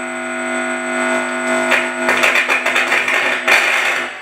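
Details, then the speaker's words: Home-built hi-fi valve amplifier with EL34 output valves, one channel under test: loud, constant low buzz of stacked tones with crackles as the valve is handled; grid has no negative bias voltage and is floating, causing hum. "you hear that the regret is not connected there's no negative voltage on that Grid it's just floating"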